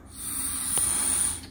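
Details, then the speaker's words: Removed EVAP purge solenoid from car that won't start after refuelling, check engine light on, blown through unpowered: steady air hiss passes through; it should seal, so valve has failed; new one blocks air. "you hear air going through it that's why it's failing the solenoid's job is to not allow vapors to go through when it's not powered"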